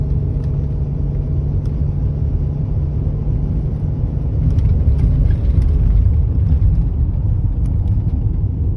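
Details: BMW X5 E53 with M54B30 engine, warmed up, under load: low drone with a loose rhythmic chu-chu-chu chugging pulse and slight power loss; cause not identified.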